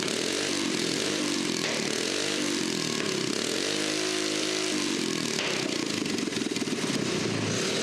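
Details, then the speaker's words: Small engine on a restored toilet-on-wheels after spark plug cleaning, running well; buzzy engine revving up and down with crackly pops and spits from the exhaust pipe as it gets lively. "So good that the exhaust pipe started popping and spitting little bursts. Yeah, this thing was getting lively."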